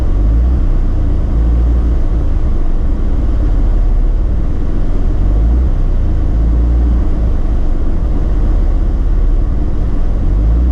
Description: Once the engine has warmed for a few minutes the idle is up and down with misfires at low rpm.